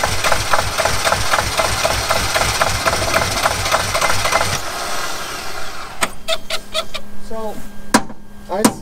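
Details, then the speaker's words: T1N Mercedes Sprinter diesel: steady starter cranking with even compression beats for four seconds, never catching. Crank, no start; no diesel sprays at the injector line because the injectors get no electrical power and are not opening. "it's not opening your injectors that means you get what no power to your injectors no electrical power your injectors are not opening"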